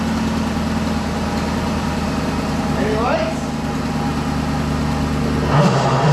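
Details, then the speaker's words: 2007 Chrysler 300 Hemi V8 after engine swap from a 2006 300C, first start without mid pipe: idle with loose, uneven clatter about four times a second because the torque converter isn't bolted to the flexplate. "that sound is the sound of not having any torque converter bolts in it"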